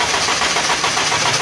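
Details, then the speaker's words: Suzuki Liana, engine slightly warm, cranks long before starting when hot; steady churning crank with no catch yet, slow to fire; mechanic traces it to weak ignition current while cranking. "ये गाड़ी start है, लंबा self ले रही है मगर start नहीं हो रही।"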